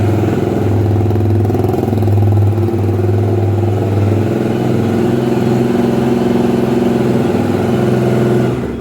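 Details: Honda Twister 250, first start after repair of a top-end noise (cylinder head off, threads cut for two bolts): single-cylinder thumps steadily at a fast idle with a couple of smooth blips, no tapping or rattle on top; sounds healthy.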